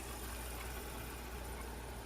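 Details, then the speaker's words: Abu Garcia Ambassadeur 6601CB baitcasting reel, before servicing. Its freely spinning spool gives a steady, rough whirring drone while casting, noisier than a smooth spin should be; it casts well but is noisy, cause suspected, not confirmed. "cast beautifully, but it makes a lot of noise."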